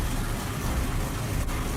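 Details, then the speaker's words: First fire-up of new 18-degree small-block Chevy in truck: deep lazy idle with dull soft exhaust beat lacking crispness; timing light shows only about 22 degrees at balancer, ignition timing too retarded, distributor then advanced. "a little truck fired right off however you can hear the ignition timing is still way too far so i pull out the timing light check the balancer and sure enough it's only got about 22 degrees in it"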